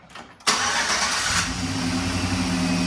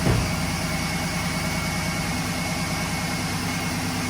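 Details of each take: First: 2011 GMC Sierra, about 180–190,000 km, after new NGK spark plugs and wires and several stop-starts: quick crank, catches right away, steady even idle; normal start, check engine light now off, owner thinks the computer relearned. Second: 2011 GMC Sierra V8, about 180–190,000 km, restart right after replacing spark plugs (NGK) and wires: cranks, catches, idle still faintly uneven and sounds the same; rough idle persists, owner suspects fuel system, maybe injectors.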